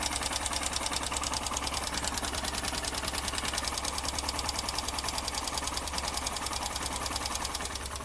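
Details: Honda SP 125 BS6 motorcycle at idle after start: light even tick about three per second over the idle; mechanic suspects tappet noise from valve clearance, tappet setting to follow.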